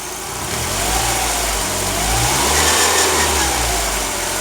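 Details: 2004 Mazdaspeed Miata: raspy buzz over the idle that rises in pitch as revs climb, following engine speed; owner suspects the alternator, not confirmed.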